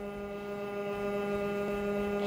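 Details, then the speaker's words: Parkside PRPA 20Li A1 cordless pump on 8 Ah X20 battery, drawing from a stream through hose into an IBC container: steady clean electric hum, constant pitch, no rattle or labouring, water splashing from air-bleed hole near end; normal running. "No a už aktuálne začalo krásne napĺňať nádobu"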